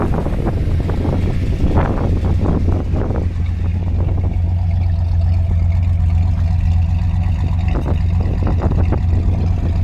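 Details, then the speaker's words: 1966 Chevy Caprice V8 idling, heard at the tailpipes after installing new aftermarket OEM-design dual exhaust replacing rusted system: deep, steady, even low burble, quiet in front but louder out back; healthy free-flowing exhaust. "c kind of reminds you a little of a mullet formal in the front party in the back"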